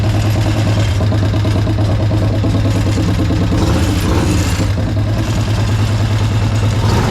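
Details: Harley-Davidson 1200 V-twin in a golf cart, first run: deep, loping idle holding steady with slight unevenness; owner suspects a stuck carburettor float; rough idle.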